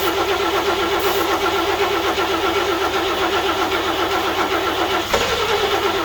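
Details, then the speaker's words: 1941 GMC one-ton pickup, 230ci straight six, first start attempt in 20 years with two-stroke oil in the gas: steady cranking with weak coughs that never catch; won't fire, owner suspects flooding. "only got close once and that was it let's try again again"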